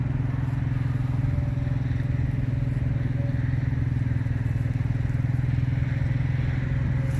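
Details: RV auto-leveling system: steady low hydraulic pump drone with rapid, even pulsing about three times a second while leveling; popping noise during leveling, cause unclear, owner thinks it may be figured out.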